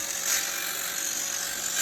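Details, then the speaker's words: Roomba that was cleaned and had its brushes changed without fixing the noise: harsh, high-pitched grinding whir under the motor as if something is stuck; worn cleaning head needs replacing. "so yeah it's driving me nuts so if you ever have a Roomba that's making this horrible sound that's what it is"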